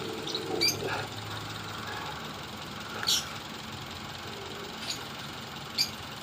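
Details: Toyota Vios idling quietly with sharp, irregular snapping clicks as the ignition coil arcs, causing a misfire.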